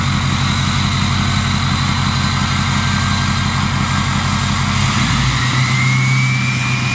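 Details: Ford 6.0 Powerstroke diesel with a new stage 1.5 63.5 mm 10-blade turbo: steady idle rattle, then a rev brings a clear whistle rising with engine speed. A healthy turbo spooling normally.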